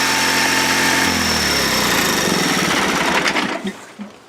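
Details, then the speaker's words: Honda 3813 liquid-cooled lawn tractor with a GX360K1 engine: a smooth, even hum holds steady for about three seconds, then winds down and stops, with no knocks. Normal running. "Alright, so that's the sound of the GX360K1 running, and on to more features."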